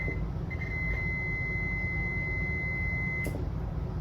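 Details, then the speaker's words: HVAC heating-circuit relay (fan/resistance) under multimeter continuity test: a steady high beep over background hum, then silence, as the normally-closed contact conducts to common; the open contact gives no beep. Continuity beep, relay contact normal. "Ustedes ven cómo suena. Este es común. Este cierra con este y cierra con este. ¿Qué pasa? Que este es cerrado."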